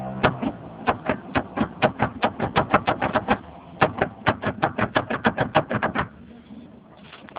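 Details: Mazda Xedos 9, before repair. Suspension rocked by hand pressing on the upper part, with attention on the middle control arm bolt. Rapid sharp knocks come about four to five a second; a knock in the middle arm is suspected, not confirmed.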